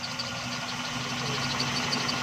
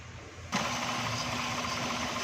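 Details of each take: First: XLI 1.3 on CNG after gas kit mixture adjustment, with RPM rising as the screw is loosened: quiet, even idle with a steady hum and no stumbles; misfire now gone. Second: XLI 1.3 on CNG, engine cover off, which would not pull uphill on gas: rough, shaky idle with heavy vibration; misfire traced to oil-soaked plug wires and plugs on cylinders 1 and 2.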